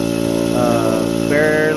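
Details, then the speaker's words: Harbor Freight Central Pneumatic air compressor that struggles past 30 psi and stalls near 40 psi: steady motor drone with a buzzing tone while pressure fails to build. Worn compressor valve plate; the top end is rebuilt afterwards. "having trouble barely getting past 40 pounds. You hear that noise? That's all it does. So what it does is it struggles to go up past 30 psi. After that, it just seems like it takes forever."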